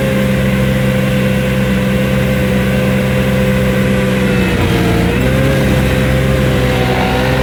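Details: New Vermeer SC1052 stump grinder engine grinding stumps: steady even drone with brief dip as load comes on; runs strong, passed hard torture-test use, healthy.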